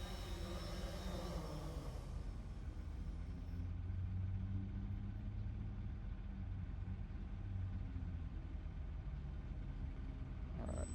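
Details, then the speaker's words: Develop Air drone after landing, motors still armed and humming steadily at idle after touchdown; app failed to detect the armed state when not armed via the arm button, a software bug to fix. "still not disarmed. So, Mohit, this is another update that needs to be made. Even if it's not armed via the arm button, it should detect if it's armed through another way."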